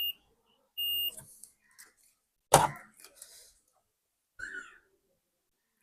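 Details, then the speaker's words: 3055 power-transistor amplifier being tested with a multimeter before power-up: brief steady continuity beep among probe clicks showing a shorted transistor; BC548 transistors found faulty and to be replaced. "अब देख पा रहे हैं friends यहां पर मुझे एक transistor जो है शर्ट दिखा रहा है"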